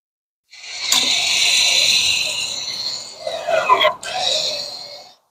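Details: 2019-2023 Infiniti QX50 (J55) rear electric parking brake, ignition on, after rear pad and rotor replacement: short electric whirring motor run, stop, brief run again; applies cleanly, working normally.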